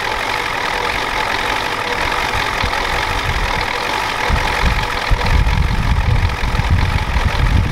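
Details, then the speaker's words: 1993 Ford F-250 7.3L IDI diesel after sitting since Monday: a heavy clattering knock throughout the low idle, sharper toward the end. The injection pump was checked and confirmed out of time, and the engine smokes heavily. "I just checked everything looks good but that's definitely out of time thank you guys for telling me about that"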